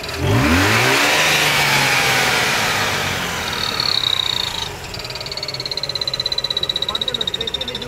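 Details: Mazda RX-8 running with a thin, high whistle pulsing about four times a second from the engine bay near the alternator; the sound disappears when the clutch is pressed; cause unknown.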